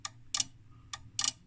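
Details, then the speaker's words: 1968 IMPO dual power supply (25V 1A school lab unit) on first power-up; four crisp relay clicks in under two seconds as the voltage is turned, over a faint low hum. Normal transformer-tap switching, and the supply works. "so here's a relay so there's a tap on the Transformer okay"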